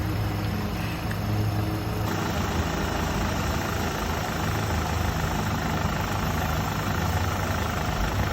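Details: 2006 Nissan Altima just restarted after AC compressor replacement, battery reconnected, before recharging refrigerant: smooth, even low idle with a constant beat and no knocks or misses; normal healthy idle.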